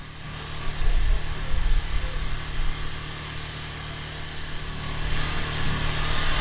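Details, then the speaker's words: Champion 2000 W quiet-run inverter generator, new, heard from about 35 feet away, off economy mode: steady, smooth, fairly quiet low drone; normal running. "As you can hear, it's not very loud from this far away."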